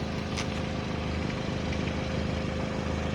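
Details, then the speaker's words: Vehicle warming up at idle with a light, uneven puffing tick over the steady drone; small exhaust leak confirmed by soot and soapy-water bubbling, quieted a lot once hot; needs a new gasket. "Also, it's getting hot, so you're not going to get it that much of a a leak if it was leaking bubbling. I quieted down a lot after it got hot, but need a gasket."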